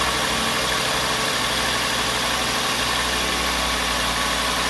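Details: 2007 VW Jetta 2.5 with P2279 code, rough surging idle and misfires at stops, after repair with a Dorman replacement part: even settled idle, no surging or whistle; normal idle.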